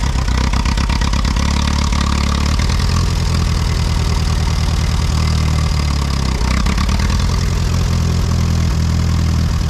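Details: Allis-Chalmers WD tractor, sat about a year, first start on battery and jumper pack: steady low idle thump with an occasional skipped beat, sounding like one cylinder missing; cleared after moving, likely a fouled plug from moisture seen in exhaust.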